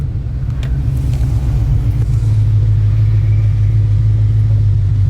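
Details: 2020 Ford Mustang GT V8 with ported intake manifold, longtube headers and cold air intake, after fixing a WOT bog: deep, steady rumble building evenly at full throttle with no misfire or stumble.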